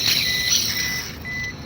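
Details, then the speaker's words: Removed, very hot tensioner bearing from Suzuki K6A engine spun by hand: dry gritty rasp, loose and noisy even with slight turning; worn, causing low power and risk of overheat, to be replaced. "maluwag na siya maingay na so Ayan mga katos so maingay na siya yan oh Kahit konti lang ikot ay talagang masaba na guys"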